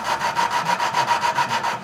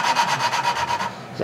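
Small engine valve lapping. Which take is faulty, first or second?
second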